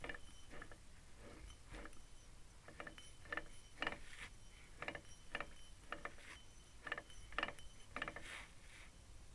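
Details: Lexus IS300 Torsen LSD carrier (3.9 gearing) from a totaled car, hand-turned with old gear oil: sharp dry clicks from the left axle side only; owner unsure if damage or normal.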